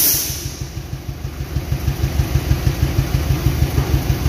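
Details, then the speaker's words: Suzuki APV (Mega Carry), rarely serviced, at idle: heavy uneven chuff pulsing about three times a second with strong engine shake, coughing and lacking power. Likely one cylinder not firing; spark plug, coil or injector suspected, cause not yet found. "Hai mesinnya getar banget coy Nah kita jas ya nih ini biasanya ada salah satu di ruang bakarnya yang enggak terbakar"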